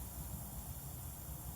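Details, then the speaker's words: Peugeot 206 after heater matrix replacement, coolant being filled with the bleed screw open: soft steady hiss with low background rumble as air escapes the cooling system, as it should. "you can probably just hear the hissing that's the air coming out of there nicely now"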